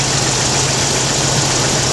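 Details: 1991 Jeep Wrangler YJ 4.0 idling during fuel pressure test, 31 psi with regulator vacuum line connected: steady even idle hum under engine-bay hiss, no misses or knocks; healthy.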